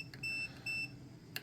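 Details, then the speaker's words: Wisconsin AENL engine ignition, points with replacement condenser swapped for new-old-stock: continuity tester beeps steadily where it shouldn't, so something in the ignition circuit grounds out, location unknown; ignition short to ground. "so something's grounding is what my issue is what in the system is causing a random ground out because I should be able to take that off and I shouldn't have any grouting"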